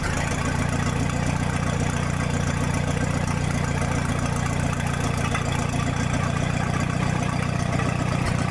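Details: 1966 U302 after corrected rebuild issues, out under its own power: loud unmuffled exhaust with steady, fairly even beat near four pulses a second, no knocks; normal healthy idle.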